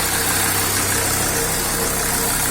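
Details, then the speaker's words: SsangYong Rexton 2.7 diesel idling after hydraulic lifter replacement, heard under the hood: even low drone and soft clatter, no ticking or knocking; engine noticeably quieter and more responsive than before the repair. "первое впечатление двигатель работает намного тише даже и не ощущается в это дизель ускоряется лучше стал восприимчивый"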